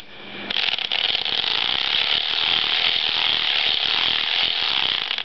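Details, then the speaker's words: Circular sock machine with ribber turning after ribber timing was adjusted, following trouble with ribber needles shearing off. It makes an even, fast ratcheting clatter with no dreaded dings, and the latches appear to close well. "I haven't had any problems hearing any any dreaded dings to show that the the latches maybe shearing off"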